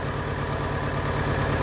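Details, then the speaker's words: VW Gol engine with oil leaks and burnt oil, at idle: a low rumble with an uneven pulse, engine shaking a lot. Owner suspects a clogged oil pickup screen starving the camshaft of oil pressure; the oil pump is to be inspected. "E então, olha, tá tremendo bastante,"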